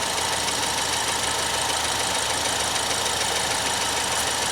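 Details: Normal idle of a 2014 Ford Escape SE 1.6 L EcoBoost after an oil change, with no leaks seen at the drain plug or filter. Even, steady idle with a light, quick top-end tick, no knocking or stumbling.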